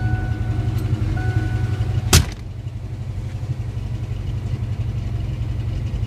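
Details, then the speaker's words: 1988 Mustang V8 after engine pull, transmission swap and pressure wash left moisture and corrosion in distributor, cap and rotor; dried, retimed, coolant bled, still idling with uneven loping beat and stumbles, a misfire; cap, rotor or distributor replacement suspected. "Sounds like you still got a miss. You got to rough a little bit."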